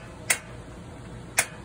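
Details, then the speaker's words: 2012 Surveyor 304 travel trailer propane stove burner, knob turned while air clears from the line; two sharp, bright igniter ticks about a second apart over a quiet room; normal igniter ticking as the burner lights. "you just turn it over the length turn the it has it clears a little in the system it'll fire up"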